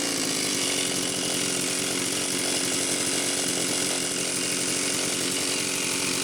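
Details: Homelite Super XL-925 chainsaw test run after a new piston and cylinder were fitted; the bearing was fine and there is a new seal. Steady, even high-pitched two-stroke buzz with no misses or surging. Compression is excellent, and the initial smoke was assembly oil burning off. It needs 20–25 minutes of idling to seat the rings.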